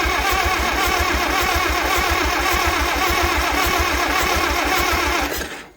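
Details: Tractor with gas just added, choke on, first start attempt after repairs: starter churns steadily about five seconds, engine never catches; cranks but won't start, cause not confirmed.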